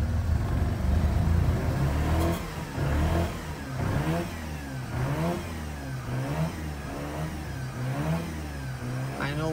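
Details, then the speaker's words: Mazda RX-8 rotary, suspected low compression, would not start after four days sitting in freezing weather: just fired, surges and stumbles as revs rise and sag unevenly under throttle, smoking heavily; flooded with fuel from long cranking. "so this is pretty much uh it's been flooded with me spinning so much so it needs to work this"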